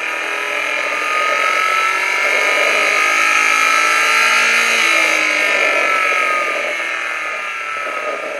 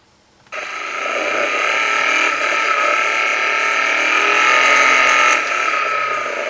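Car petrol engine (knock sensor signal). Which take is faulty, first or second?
second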